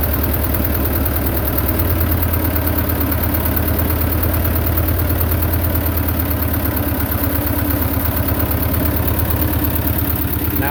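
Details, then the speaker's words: Belarus 250 tractor, two-cylinder air-cooled diesel sitting for years, after injection pump cleaning for no-fuel problem: steady, even low idle with regular beat, no hunting, surging or dying; holds idle cleanly. "if you go below where it's sitting at right now it'll start getting into the low idle and we Fade Out so you don't really have much throttling you take it all the way up and goes on up but you can leave that at a kind of a low idle like this"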